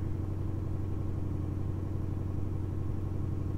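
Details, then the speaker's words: 2006 Ford Mustang GT V8 after installing MSD Blaster coils and Champion 7989 plugs to fix intermittent misfire: cold idle in sub-zero weather with a steady, even low rumble, no stumbles, much smoother than before. "uh which is good lets me you know see how it idles and see how the car warms up if it's proper and whatnot um but so far it seems really good definitely seems it definitely seems smoother than before"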